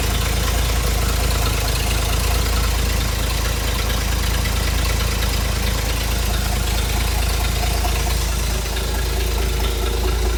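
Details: Hobart APU cart with a Ford inline-six petrol engine, sat 8+ years, new battery and fuel line: deep, steady low rumble at even idle with regular firing pulses, no knocks or misses; normal running.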